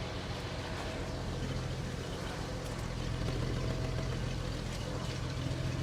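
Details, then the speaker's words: Jaguar XJS V12, sat for months; steady low idle with uneven lumpy beat; one or two plugs on one bank suspected not firing while the other bank runs smooth: engine misfire. "Feels like it's missing one on this side. See where that's missing?"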